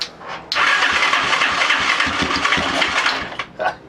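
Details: Hot-wired Lifan Earth Dragon 125 single after spark was confirmed: about three seconds of fast cranking with a few weak catches, then it dies without running; cranking, trying to fire.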